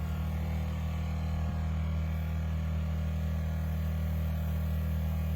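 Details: 2009 Citroën C4 Picasso rear air suspension: steady low pumping drone as the compressor runs without cutting out, refilling a leaking rear air spring; the car sags once the compressor stops.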